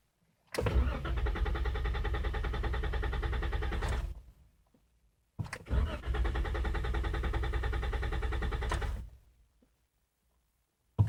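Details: 2014 Jeep Wrangler: two cranking bursts of about three seconds, the starter spins steadily but the engine never fires or catches; no-start.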